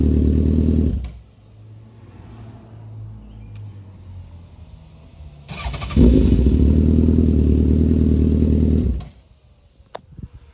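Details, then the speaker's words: Engine started hot at 195°F, after a misfire investigation with a thermal gun: the starter catches quickly, unlike an earlier sluggish start, and the engine settles into a steady, even idle before shutoff. Normal start and idle. "so I want you to see how quick it starts up compared to the first time of us starting up that time it was a little little sluggish plus she's very hot she's at 195"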